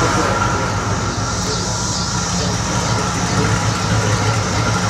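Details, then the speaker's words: 1969 Firebird 350 V8 idling after backyard exhaust joints were welded to seal leaks: steady, even low rumble with no puffing or ticking; exhaust sealed and healthy. "only stop 350 it ain't some powerhouse by any means but you know it'll do job for the third time"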